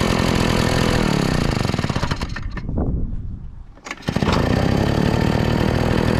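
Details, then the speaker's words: Craftsman two-stroke backpack blower after carburetor repair (stuck metering diaphragm, mixture re-adjusted from too lean); previously blew raw fuel from muffler: revs high, drops and climbs cleanly without bogging or spitting. Normal running. "oh all right sounds good so I think that fixed it"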